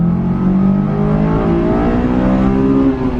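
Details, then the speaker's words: Low-mileage Honda S2000 under hard second-gear acceleration with strong intake roar and little exhaust sound; the note climbs smoothly and evenly with no misses or knocks, normal acceleration toward VTEC. "This car does need some exhaust because it doesn't make any sound. Same as my truck right now, and the Porsche doesn't make any sound."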